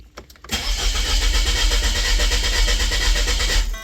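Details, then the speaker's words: Vehicle in Tahiti: starter cranks steadily about three seconds but never fires; no fuel supply or pressure, suspected electrical fault with no power reaching the fuel pump, possibly from repeated starting attempts. "Il lui faut de la pression de toute façon pour qu'elle démarre. Nous avons pas d'alimentation."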